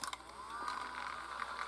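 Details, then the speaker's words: Panasonic VHS play pack adapter: faint, thin whine near one kilohertz rises slightly and holds as the small motor extends a compact tape to full-size VHS; normal motor running, though batteries are low. "you hear that sound the buzzing that's the um tape adapting here"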